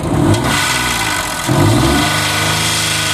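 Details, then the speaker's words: 2006 Mazda 6 V6 with a P0300 multiple-misfire code and very low, bouncing vacuum; revving gives a harsh, strained roar and a sharp bang, showing restricted exhaust from a clogged catalytic converter. "Motor's noisy. Hear that? Whoa, bang. Let's see if I can get to it. It's ready. Whoop. What that's telling me is the exhaust is closed. One of the converters, multiple converters."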